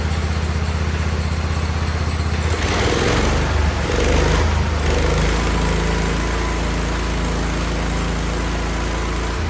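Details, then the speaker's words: 47-year-old Wheel Horse tractor after carburetor work, with a sticking float that was pouring fuel: small thumps at a fairly even idle that picks up when blipped. Choke fully off after tuning; runs healthy; belt drive is noisy. "tried tuning that cars a little bit I think it was iding slightly better I was able to shut the choke all the way off in here and uh I think it sounds good"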